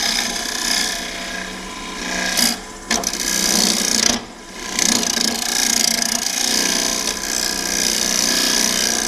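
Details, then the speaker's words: Swan neck hollower with carbide cutter in a hollow form on the lathe, near the thin wall: harsh uneven scraping rasp with pauses between passes; cutter riding bumpily over chips packed inside the vessel. "Oh man, we're getting a nice pile of chips in there again. Real bumpy feeling."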